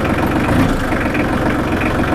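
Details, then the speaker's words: Small 25 hp four-wheel-drive diesel tractor with power steering, 502 hours, one careful previous owner, just fired up: steady low diesel clatter at an even idle with no misses or knocks; a normal, clean-running idle. "Let's see if we can't fire this baby up and let you hear what it sounds like. Ain't nothing like a diesel running. Ooh, I'm here to tell you."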